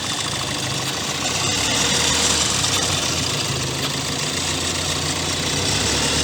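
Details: 2016 Kia Sportage 1.7 CRDI diesel, fully warmed up, idling with the phone near the open engine: busy metallic clatter over a steady beat. Timing chain suspected; the noise worsened over time and persisted after accessory belt and pulley replacement.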